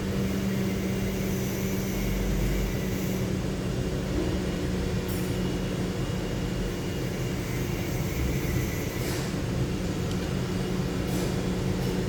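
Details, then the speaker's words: 2007 Lincoln Town Car V8 after replacing faulty cylinder 7 ignition coil: steady even hum, low drone, no dropped beats; no misfire, codes cleared. Normal running after repair. "Miss fire नहीं है गाड़ी में ठीक है सात number coil का issue था वो क्लियर हो गया"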